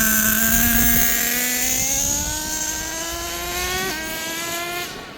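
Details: Kyosho USA-1 nitro RC truck being tuned for transmission shift points: high-pitched nitro scream climbs, drops sharply at one clean upshift and pulls again; the second-gear shift point is now correct and engages normally.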